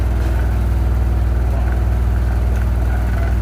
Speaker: Olha aí, pessoal, a máquina fazendo barulho, ó. Aí as pessoa não sabe onde tá fazendo um barulho. Tá vendo aí, ó? Ó, sacudindo toda.